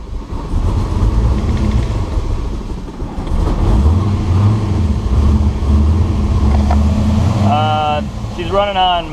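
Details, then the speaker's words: Rough, loping cold idle from the twin-turbo 6.0 V8 Firebird on MicroSquirt, which needs warming up to run right. This is a control test with everything hooked up while chasing a smoking issue; the owner suspects old turbos with an unrestricted oil feed. "Got to kind of get her up to temperature before she can run right."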